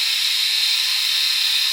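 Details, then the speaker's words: Philips Norelco 3000 Series electric shaver, about 3 years old, after travel in checked luggage: loud, harsh high hiss with no low hum, not cutting as close; worn blades. "it doesn't sound good no more it's really loud and it doesn't cut as close"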